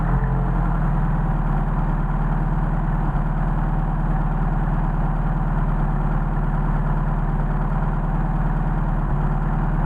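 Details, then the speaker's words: Mercedes 190SL with worn Solex 44PHH carbs, now fitted with new throttle shafts after about 10 butterflies were tried, linkage reconnected. It holds a steady fast idle of about 1400 rpm as worn throats pass too much air. "We're still idling at about 1400. Popped up a little bit higher. So the problem is we're just processing too much air through here."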